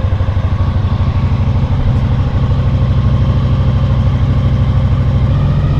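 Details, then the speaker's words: 2000 Honda VFR800 fuel-injected, restricted, first start after six months' storage on old fuel: lumpy, loping uneven idle, one cylinder not firing at all, its exhaust pipe stone cold, running on three cylinders; dead-cylinder misfire. "В общем, один цилиндр не работает совсем. Труба абсолютно холодная. Катился немножко на трех цилиндрах."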